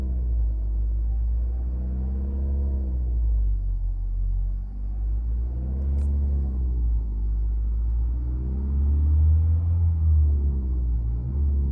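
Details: 2017 Nissan Qashqai 1.6 DIG-T driving warm after a few kilometres: deep heavy rumble with a droning tone swelling and fading about every second, with vibration; only when warm and driving; unresolved despite several services. Low rumbling drone with vibration.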